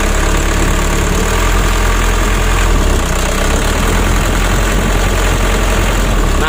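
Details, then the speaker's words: Mitsubishi 120 PS Ragasa diesel truck, cab raised, held at part throttle runs rough and uneven with a limping, vibrating beat shaking the cab; worse as the engine gets hot; old engine, nozzle and Bosch pump service suspected. "seperti ini teman-teman kalau kita gas tanggung serasa pincang atau bergetar mesinnya ya"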